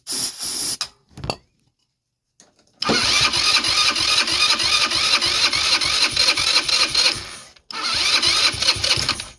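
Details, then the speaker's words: Blade 150 / RZR170-clone UTV, 150cc GY6 shortcase engine, previously seized, started on starting fluid: a few failed cranks, then it buzzes fast and even about five seconds before dying and refiring; runs till out of fuel, owner suspects plugged carburetor. "Alright, well, it runs till it runs out of fuel. Yeah, it shouldn't be too big a deal."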